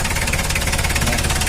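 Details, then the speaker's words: Isuzu Panther diesel, valve cover fitted, timing cover off, warming up: loud, rapid, hard metallic knocking over a rough idle; injection pump timing has jumped and must be reset to standard. "Kondisinya masih sama, yaitu terjadi lompatan waktu. Mari kita lihat seperti apa bunyinya."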